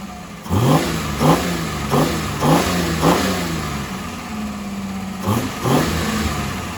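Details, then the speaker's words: Freshly rebuilt Holden grey motor on first start-up with a temporary exhaust exiting straight out of the muffler, no tailpipe yet: crisp throttle blips about twice a second with clean, even firing and no knocks; normal revving. "so I just did that there to get it running so um sounds good hey sounds good the back pressure"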